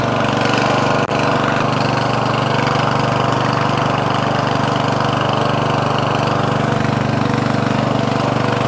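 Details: Murray 14.5hp 42-inch lawn tractor, Briggs & Stratton single-cylinder OHV, after fixing a bad ground at the ignition switch. Steady even thump with no misses or surging; normal running.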